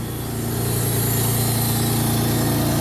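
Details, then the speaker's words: 1999 Honda Accord V6 with almost 280,000 miles, after a crank-no-start repair needing no parts, during a wiggle and tap test of the wiring. Steady, even engine note with a smooth low rumble and no misses or knocks; all cylinders firing cleanly. "a little wiggle check tap test [Music] running it all cylinders"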